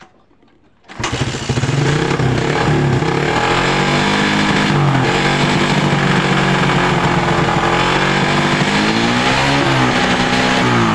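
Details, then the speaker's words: Suzuki Satria FU 150cc motorcycle after tightening loose ignition coil connector: starts and revs rise and fall smoothly with no stutter through the throttle; misfire fixed, normal revving. "Oke untuk rebetnya hilang ya untuk penyakitnya sudah sembuh ya sudah normal tidak brebet lagi ya"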